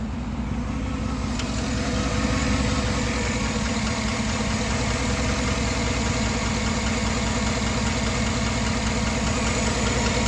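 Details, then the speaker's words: 2009 GMC Sierra crew cab, 5.3L LY5 AFM V8, 6-speed, 187k miles, compression good: steady idle with a light regular tick about two to three per second, owner suspects cylinder one intake-side lifter. Lifter tick at idle. "so obviously it's a cylinder one intake side lifter you remember there's there's eight lifters that are afm per side and then eight regular lifters"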